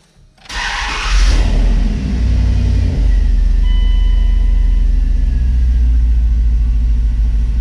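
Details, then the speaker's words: Dodge Dakota 5.9L Magnum V8 after tune-up with new spark plug wires, distributor cap, rotor and coil pack, fixing a bad misfire: cranks, catches right away and idles steady and even; normal idle. "So only thing left to do now is give it a start and make sure it's not misfiring or anything like that."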